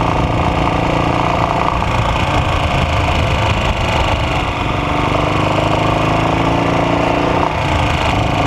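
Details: AJS Model 8 single-cylinder engine thumping along at steady speed with a rough, woody rap through the beat; engine knock, source not pinned down.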